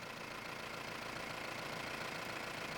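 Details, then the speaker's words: Mahindra Roxor diesel, after installing intake retaining bracket to stop turbo boost leak from overboost: quiet, even idle with steady hiss and no odd noises; sounds better than before, when the leak likely made it sound weird; normal idle. "It also sounds much better, I should say, because initially it wasn't. I don't know. It was just sounding weird, but now it sounds much better. Probably it was the leak that made it sound weird, but now it really sounds"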